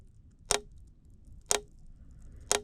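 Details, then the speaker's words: 1300cc Alpha fuel injectors in an Autool CT160 tester/cleaner set to ultrasonic mode with the heater on: sharp, even clicks once per second as the injectors pulse. Injectors switching open and closed normally. "when you hit play, I'll hit play and you can hear the injectors turn on and off."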